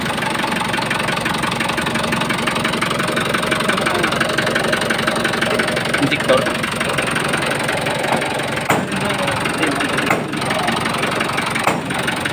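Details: Mitsubishi 4D34T diesel engine at idle: a sharp regular knock about three times a second over the clatter; connecting rod bearings were suspected, but teardown found all bearing clearances good, so the cause remains undiagnosed.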